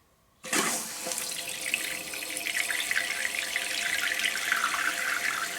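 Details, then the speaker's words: Toilet tank after replacing flush valve and shut-off valve, water turned back on: rush of water then steady even hiss of filling, no squeal or hammering; normal refill, shut-off perhaps needing fine adjustment. "I think this is supposed to be quieter too when it turns off."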